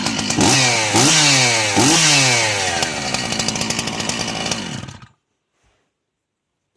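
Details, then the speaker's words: Chainsaw engine blips three times, then idles evenly with no metallic clatter on the clutch side after the clutch was removed; the noise-hunting was done by elimination. "слышали разница очень хороший и очень хорошо слышно что исчез именно такой металлический лязг с этой стороны"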